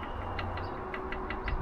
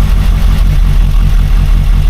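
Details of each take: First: Rover P6 engine: light metallic ticks about five or six a second over a low hum, a slack timing chain slapping, the tensioner probably seized. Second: Rover P6 after replacing a faulty timing chain tensioner, briefly run without the cooling system: steady, even low idle with no rattle or chatter; timing chain now quiet and healthy.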